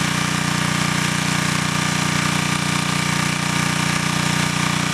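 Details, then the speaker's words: Engine running on wood gas from an automated gasifier powering the building: steady, even firing at about 200 beats a minute with no misses or surging; smooth, stable running. "Like I said, the main thing is just to let everybody hear the stability of the engine, and to me that's priceless."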